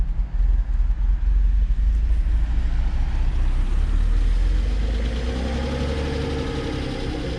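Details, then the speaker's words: Old Mercedes (called a 300SL) started for the first time after sitting nine years: steady low rumble settling into an even idle with no knocks or misses; the six sounds healthy, running on its own. "But it doesn't sound too bad. I mean, I can tell it's been sitting here quite some time before it there you go. Sounding a little happier."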